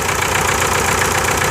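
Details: 1998 VW TDI diesel, ~500,000 miles, run on 80% waste vegetable oil; rough idle with uneven low thump and hissy rattle. Misfire and heavy blow-by from a stuck piston ring losing compression; rings to be replaced.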